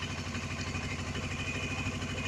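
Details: Suzuki GS500E twin after carb rebuild (clogged pilot jets), cold start after sitting overnight at about 55°F with some choke: steady even idle with a regular low putter, no misses or knocks; normal cold idle.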